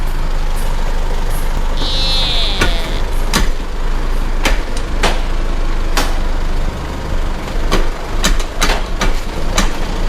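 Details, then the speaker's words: Isuzu MU-7 driveline clunk: sharp metallic clunks under a low idle rumble as the truck is rocked, heard from the middle; customer reports jerking with noise when driving, never serviced; suspected broken universal joint. "ได้ยินเสียงกันไปแล้วนะครับเมื่อกี้ชัดเจนเลยดังมาจากตรงกลางนะครับเบื้องต้นสันนิษฐานว่ากากบาทน่าจะแตกเพราะว่ารถคันนี้ถามลูกค้าแล้วนะครับ"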